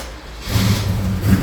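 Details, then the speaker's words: Holden HQ sedan with a small-block Chevy V8, started cold, owner reports sluggishness: runs with an uneven, stumbling low beat and the engine bouncing at steady rpm; a very bad misfire from plugs fouled by an over-rich carburetor. "I don't know if you can hear that that's a uh a very bad misfire"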